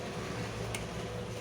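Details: Plastic-body room heat blower after repair of ticking fan noise caused by a spring touching the fan: only a faint even hum, no ticking or rubbing; fan runs quietly, normal running.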